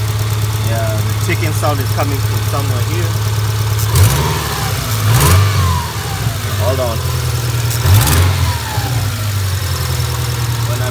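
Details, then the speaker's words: 2000 Subaru Outback with 280,000 miles, flat-four idling with a couple of throttle blips: light, uneven ticking heard from one side of the engine; owner suspects sticking lifters, and gaskets also appear to be leaking. "I noticed a clicking sound of research on it and um people have been having with problems with sticking lifters"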